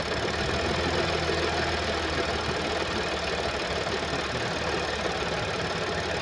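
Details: 2013 Audi S4 B8, 3.0 petrol CGWC engine, 245 kW, 188,866 km: loose, busy rattle over the idle at a steady pace; engine rattle stated to come from a skipped timing chain.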